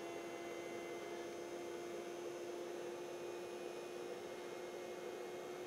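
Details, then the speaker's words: Pyle 600 W 12 V to 120 V power inverter switched on, battery at 13.3 V and output about 131 V: steady, fairly quiet fan whoosh with a mid-pitched hum and no rattle. The cooling fan runs normally and is quieter than the other inverter. "we'll just turn it on and you can hear that it's not as loud as the other one but of course it's got the fan running as well"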